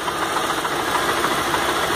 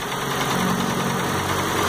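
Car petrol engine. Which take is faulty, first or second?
first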